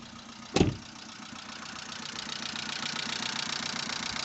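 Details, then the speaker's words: 2005 Vauxhall Astra H after engine flush, warmed up: steady idle with fairly quiet even ticking, much quieter than before; light tappet noise at warm idle. "so the cars warmed up let's see what the engine is like it's a lot quieter to go"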